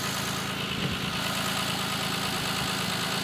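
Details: Audi A6 C6 at idle: light quick tapping about three per second over steady idle, knock from the intake manifold swirl flaps.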